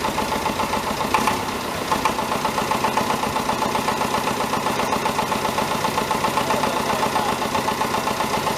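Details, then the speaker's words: David Brown 1490 tractor diesel, first run after an engine rebuild, idling: a steady, fairly even knock about four per second over the clatter. Owner suspects fuel injection knock; the injectors are being reconditioned. "You'll hear that it has got a bit of a knock. I think it's a fuel injection knock."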